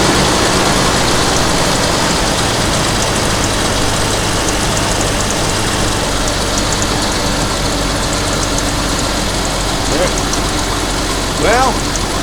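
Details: 1988 Jeep Comanche straight six that had been sitting, first start on a battery after much work: steady even low idle, no misses or stumbles, outdoor noise, running healthy.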